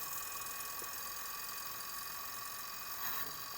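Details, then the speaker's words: 2004-2009 Toyota Prius front brake bleed after caliper replacement: pedal pushed about an inch, key not needed, bleeder open; faint steady ABS pump whine, running normally while air bleeds out. "Now we're going to have our assistant push on the pedal just 1 inch, and you're going to hear the ABS pump running."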